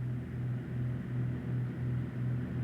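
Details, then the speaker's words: Multi-engine airplane in climb at best rate of climb airspeed Vy after setting power: steady low drone swelling and fading a few times a second because the propellers are not at the same RPM; fix by matching tachometers, then adjusting one propeller control until pulsing stops. "If they aren't rotating at exactly the same RPM, you will hear a pulsating sound that can be both annoying and fatiguing."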